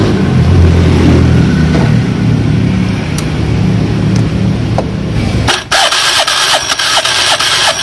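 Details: Honda Beat FI scooter after repair of a rough-sounding, non-moving CVT: broken drive belt and cracked clutch housing replaced. Engine starts on the button and runs steady and even with the drive turning freely; healthy after repair.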